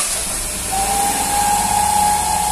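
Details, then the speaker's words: 2020 Fiat Argo at idle: steady airy hiss then a thin constant whistle, vacuum leak from a torn diaphragm in the valve cover; fix is removing the cover and replacing the diaphragm. "Só o diafragmazinho, gente, ó, rasgado, ó. Barulhozinho."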